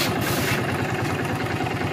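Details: Honda CD70 new-model carburetor after mixture and idle adjustment: small single-cylinder ticking over steadily with an even, slightly loaded beat, no misses or hunting.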